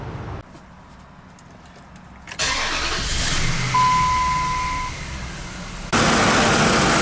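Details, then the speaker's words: 2004 Dodge Ram half-ton 5.7L after repairing exhaust leaks from broken manifold bolts on both sides: short crank, catches and settles into steady idle with no puffing or ticking; exhaust sealed, no leaks. "Quiet as a church now. No leaks."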